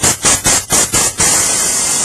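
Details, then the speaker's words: Pressure pot on a Drufomat Scan thermoformer during denture/partial repair: five short hiss bursts as the negative button is tapped, then steady hiss while bleeding down to 30 psi working pressure (not above 30). "So you hear it go all the way down past the 30. You want to stay at the 30 psi level for pressurizing. You do not want to go above the 30."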